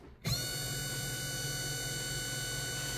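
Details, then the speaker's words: Family FSM550S 3/4HP servo motor (dial-type speed control, compared with Rex BG550W slider type) turned to a faster speed: spins up instantly to a steady even hum with thin whine, no roughness; quieter than a clutch motor; normal servo motor whine. "several boaters are silent when you don't engage it but when you engage it they're gonna make some noise not a ton not like it's not like a clutch motor but they're still gonna make noise"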